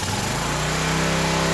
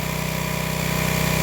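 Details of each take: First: Old Craftsman pressure washer engine, unrun about 10–12 years, after carb cleaner: spins up within a second and holds a steady, slightly uneven drone on choke, dies when choke is removed. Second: Old Craftsman pressure washer after clearing the hose end and wand: fast, even putter at steady speed with no misses or surging; small engine idling cleanly, revival successful.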